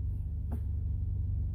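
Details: Ford F-150 3.5L EcoBoost at startup after priming the oil system (held brake and gas, cranked longer for oil pressure): steady low idle rumble, smooth and even, with no cam phaser rattle.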